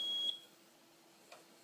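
One short high-pitched beep at switch-on, then near silence; this UPS is warning that its battery is worn and needs replacing.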